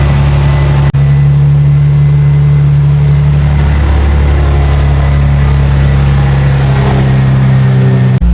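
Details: 2004 Infiniti G35x with a used ECM and reprogrammed keys, restarted after the MAF had been unplugged (check engine light on). Steady, even idle with a smooth low hum, no stumble or knock. Strong smell suggests possible oil burning.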